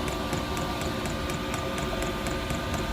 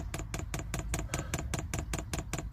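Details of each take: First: Newly fitted diesel heater in an LDV Convoy van on first run: steady fan roar with a light fuel pump tick about twice a second; heater works, but owner thinks it has not primed properly and needs more fuel pumped through. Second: Newly fitted diesel heater in an LDV Convoy, first fuel priming: crisp, evenly spaced dosing-pump ticks about four per second as fuel with air bubbles comes through; pump priming normally.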